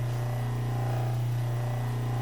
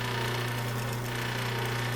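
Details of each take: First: 1936 Maytag Model 30 washing machine, freshly cleaned after decades of storage, restarted after about 30 minutes of running: steady low motor hum with a gentle, even churn; no knocks or grinding, running normally. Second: 1936 Maytag Model 30 washing machine motor running after decades in storage: short steady low electric hum that rises and falls unevenly; owner suspects it's because the motor isn't bolted down. Uneven motor hum.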